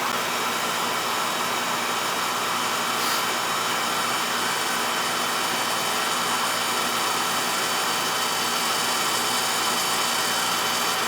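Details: Older Beckett oil burner that was tripping safety and not firing, restarted after clearing an oil tank blockage and purging air, FF jumped out: steady roar with constant fan whoosh, no sputter or surging; firing cleanly.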